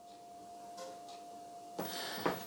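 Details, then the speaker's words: Rowenta VU5870F0 16-inch remote-controlled pedestal fan on its lowest speed: faint, steady mid-pitched motor whine under quiet airflow, annoying in a quiet room; the whine disappears at the next speed up. "I think is that is enough there is a whining noise and that is if your room is really quiet it's a little bit getting on your nerve"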